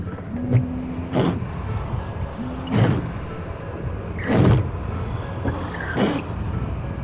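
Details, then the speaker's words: Car wiper sweeping roughly every second and a half, each pass juddering and squeaking; the blade rubber has gone hard and brittle and must be replaced. Worn wiper blade chatter. "Nah, itu udah mulai getas lah untuk karetnya ini. Jadi ini emang harus udah diganti."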